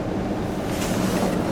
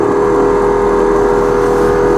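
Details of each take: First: 1991 Ford F-150 after blower motor and resistor replacement: steady, even rush of air at a middle fan speed with no ticking, rubbing or wobble. Normal blower motor operation. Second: 1991 Ford F-150 heater/AC blower motor before replacement, on high, the only working of four speeds: loud steady mid-pitched hum with coarse uneven roughness, worsening over time; motor shot.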